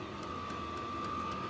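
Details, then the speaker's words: Diesel heater, before the sound-deadening foam is fitted, running at power level 10: an even whirring fan tone with a faint regular fuel-pump tick a few times a second, far quieter than before. Normal diesel heater running at full power. "That's power level 10. And it's not too bad. You can hear the pump a little bit, but it's nowhere like what it used to be."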